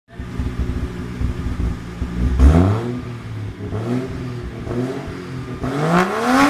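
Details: Mazda RX8 with 1JZ-GTE VVTi swap after installing Spitronics Mercury 2 ECU, revved repeatedly to the rev limiter: rough, uneven, stumbling and popping at the top; misfire, cause not confirmed.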